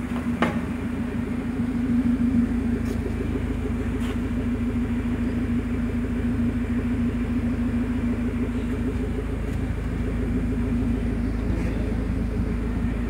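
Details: 2010 Mazda 3 MPS first start after forged engine build (Wiseco 9.5:1 pistons, Manley rods, BNR S3 turbo, 3-inch open turbo-back exhaust without cats): steady even idle with deep open-exhaust drone, no knocks or ticks; healthy.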